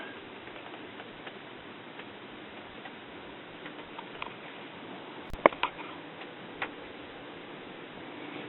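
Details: 1959 RCA transistor radio on a 6 V supply drawing about 56 mA: faint scattered ticks over quiet hiss with barely any audio; nicked windings shorted the audio transformer's primary to secondary, choking the output.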